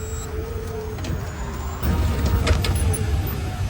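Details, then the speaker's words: Electric four-wheel vehicle, about a year old, test-driven after reassembly; it had made a noise near the motor and differential, with bearings or gears suspected, and was refilled with engine oil instead of gear oil. Low road rumble, no grinding or whine: drive is normal. "刹车泵上有2颗螺丝，拧紧之后，我们现在把轮子装上去，就安装完成了。是不是加这个机油感觉特别丝滑？"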